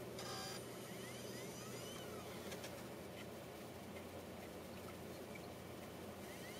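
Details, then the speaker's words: Mac Mini running Snow Leopard, slot DVD drive loading a burned DVD; quiet whirring with faint chirps and ticks as it tries to spin up, then it rejects the disc. Audio CDs and retail DVDs work. "I don't know what that sound is and it rejects it just like that nothing happens"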